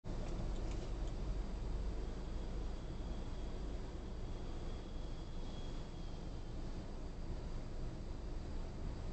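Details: 2018 Honda CR-V at idle: low, quiet engine with an intermittent high whistle that comes and goes.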